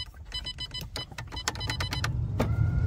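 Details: Nissan 300ZX Z32 being rewired for a KA24DE swap: short, steady electric motor whir as the window travels, smooth and unlabored. The power window works normally.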